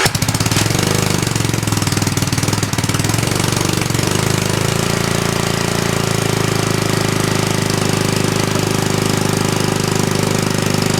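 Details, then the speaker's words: Hollingsworth air compressor's small single-cylinder engine, restarted after flooding, with only the small stock muffler under the cooling shrouds: fast, even chugging with harsh, sharp exhaust pops; loud exhaust popping with only the small stock muffler. "Let's try and start it up again and we'll listen to how how much the exhaust pops."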